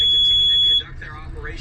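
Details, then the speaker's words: Hewescraft 25 Alaskan boat with twin 200 V6 outboards: loud, piercing steady beep holds almost a second, cuts off, then repeats; the chartplotter's AIS proximity alarm for a nearby ship. "Yeah, it's showing me that alarm's going off on that ship over there, the AIS."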